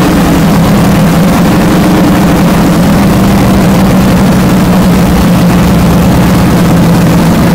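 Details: Fresh 393 cubic inch V8 (Trick Flow heads, MSD ignition, Comp cam, Wiseco pistons) on first fire-up on a cold January morning; deep, steady, even idle with no misses or knocks, normal idle.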